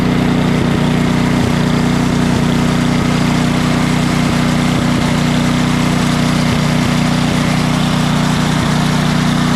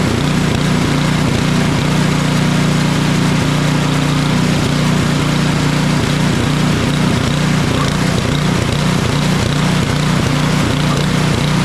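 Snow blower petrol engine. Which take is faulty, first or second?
second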